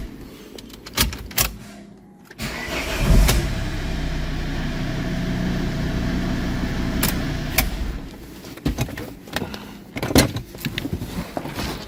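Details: Volvo with a no-crank no-start and no ECU/CEM communication fault: a few clicks and a pause, then the starter turns and the engine catches into a steady low running hum before shutting off.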